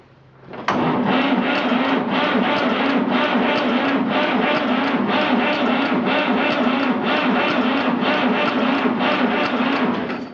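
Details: 1959 Fordson Dexta three-cylinder Perkins diesel, cold after sitting about 6 months, small battery, manual glow plug heated: slow, steady cranking for ten seconds with no firing; cranks but won't start, ether tried.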